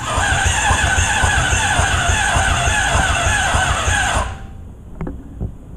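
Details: Honda CBR600RR engine in off-road go-kart, harness rewired to run with no key, pressing starter button: fast steady starter whirring about four seconds, stopping abruptly with clicks; turns over but never catches.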